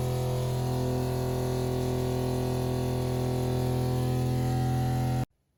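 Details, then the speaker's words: Shurflo 2088 series 12-volt water pump with the recommended flexible hoses on inlet and outlet: loud steady droning hum with low buzz until it cuts off sharply, still very noisy. "What you just bore witness to is this Shurflo 2088 water pump. So noisy."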